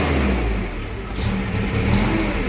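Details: Toyota 7FGU32 forklift, 4Y engine, with governor ECU. Engine speed wanders up and down instead of holding steady, as the ECU opens the throttle fully and randomly shuts it; probably surging around 1700 rpm.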